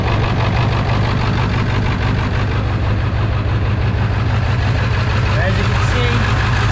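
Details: 1999 Ford F-350 7.3 diesel idling cold, with a leaking fuel bowl water drain valve: loud, deep clatter with a slightly uneven beat, a rough cold idle; cause not confirmed.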